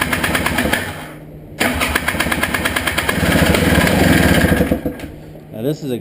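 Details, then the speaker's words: Honda Odyssey FL350 buggy after a carburetor clean of clogged main and slow jets; it runs rough, cuts out, catches, then sags and hunts as it tries to die. The previous owner reported it runs a while then won't run and is hard to start. Cause not found. "all right so she said the previous owner she told me that it would not it would run for a while and then it would get to where wouldn't want to run it would be difficult to start"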